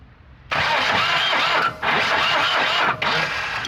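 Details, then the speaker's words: 1985 Volvo 240 that sat in the woods, cranking: fast, even whirring crank with pauses, partly firing, with smoke coming out of the dipstick tube; blow-by is suspected, not confirmed. It has compression on at least one cylinder. "but what I'm seeing is smoke coming out of the dipstick tube which is right right here I don't know if you can see it"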